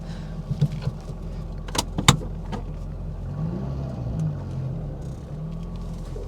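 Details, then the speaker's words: 1980 Mk1 Ford Fiesta 1.1L at first start after a long crank, running on choke, possibly with no coolant in it; it previously cut out after about 30 seconds. Steady low rumble with light clicks that keeps running without faltering. "this is actually running for a bit longer this sounds quite sweet definitely runs"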